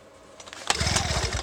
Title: 2 stroke Genny won't start